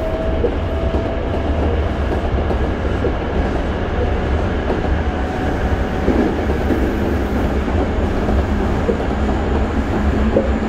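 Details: Toei 5300 series set 5315, Mitsubishi GTO-VVVF, on Keikyu line rapid limited express (Misakiguchi–Kanazawa-bunko), in-car recording: running rumble with wheel clatter, thin mid tone and high whine drifting up, abnormal traction inverter noise.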